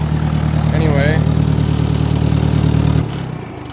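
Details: Old tractor cold-started on a below-zero day: a low, even idle thump about three beats a second with no knocks or misses before shutting off; it started without a hitch and runs fine.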